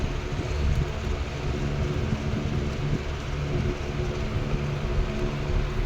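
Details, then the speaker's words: R&M Banner 16-inch 2-speed oscillating table fan on high speed, drawing about 1.2 amps. Steady low motor hum running smoothly; the oscillation gearbox chatter quiets down under load once oscillating. Normal. "You hear the gearbox kind of quiets down. Uh, it's because it's got a a load on it. Quiets down a little bit."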